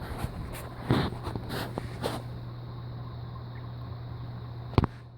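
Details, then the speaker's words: Heritage Hugger 42-inch ceiling fan with spinner motor, on high in reverse, seemingly faster than forward: low steady hum with soft even airflow rush and a few handling knocks; normal running. "I can feel some air. It seems to be going a bit faster on this in reverse than it did on forward."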